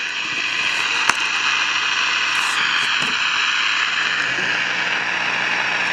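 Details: 1953 Crosley AA5 AM tube radio, no antenna, tubes warming up: steady loud hiss and roar with no station coming through; owner rules out silver mica disease since pulling a part silences it, suspects the oscillator is running way off frequency.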